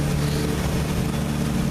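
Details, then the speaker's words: Old six-cylinder carbureted engine that hadn't run in a long while, cold and likely with thick oil: low, lumpy, stumbling idle, now firing on all six cylinders after first running on about four. Rough cold idle. "It's running on all six cylinders, but it's cold and unhappy. And the oil is probably like molasses."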